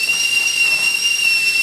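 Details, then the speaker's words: Magic Chef 3867VVV stove burner after repair (previously only hissing): steady piercing high kettle whistle at full boil, burner now heating properly. "Now I'm just gonna wait for that beautiful sound that tells me I'm about 5 minutes away from my French press and sitting on a porch watching the squirrels, drinking my coffee."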